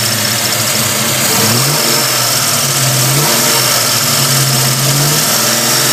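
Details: 327 small-block Chevy V8 running and revving: light high chirp over valve clatter from rear of passenger-side valve train; cause unknown.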